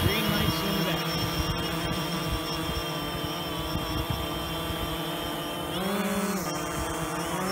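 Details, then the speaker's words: DJI Phantom 2 quadcopter in flight after replacing the burnt-out ESC on a motor that stopped spinning after a crash; steady high prop hum briefly rising in pitch as it fights strong wind gusts, then settling; normal flight. "the wind is really howling now I did I can hear it fightin to stay where it is"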